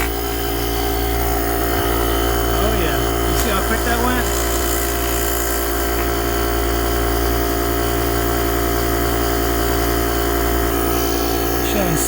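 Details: JomGand JQP2250 jump starter's built-in compressor pump running while pumping fluid, reading about 6 psi; steady, even buzzing drone at constant pitch with no knocks or surges, running smoothly under light load.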